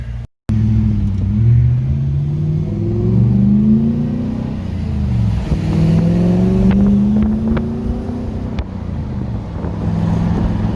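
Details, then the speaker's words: Nissan D22 Navara V8 on a road test after repair of a misfire and occasional stalling that began after a clutch replacement: deep V8 burble climbs smoothly in pitch under acceleration over wind noise; healthy, strong exhaust note. "Can't complain about that noise, eh? It's beautiful. It's beautiful."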